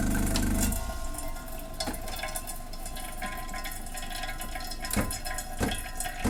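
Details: Old Saeco Vienna Trevi Chiara espresso machine, reassembled after its ground-coffee doser had been clicking nonstop at power-on, a fault that vanished during teardown. A short heavy grinder burst, then a steady pump hum with water gurgling and light clicks; it brews normally.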